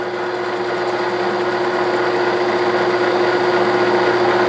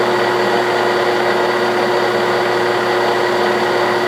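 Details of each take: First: 1967/68 Clausing Colchester lathe turning scrap-bin stock into a threaded button for a hydraulic shaft: steady whine with a regular tick three to four times a second as the tool meets a gap; interrupted cut. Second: 1967/68 Clausing Colchester 1340 lathe turning a steel hydraulic-shaft button, taking a heavy cut that reduces the diameter by about 0.060 in. A steady, even hum with a light cutting hiss and no chatter or grind: a healthy, quiet machine.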